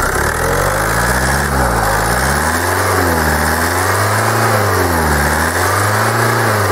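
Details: Kia 2.0 CRDi Bosch common-rail diesel, hot, with the fuel metering valve unplugged: speed gently rises and falls with no sharp ticking; the knock goes quiet, so the metering valve is suspected, not confirmed.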